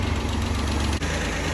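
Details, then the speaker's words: 1985 Ford Ranger just after its first start following a teardown and camshaft bearing oil-passage fix, not yet warmed up and before timing is set: brief, steady low idle with an even beat and no clear knocking; running fine. "it's running yay all right let's get this thing uh back out let it warm up and then we'll set the timing on it"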